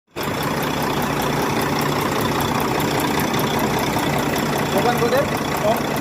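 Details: Volvo D13 truck diesel idling with a light, regular tick, about five per second, over the engine drone; valve train ticking, pointing to valve clearance needing adjustment, with injector adjustment.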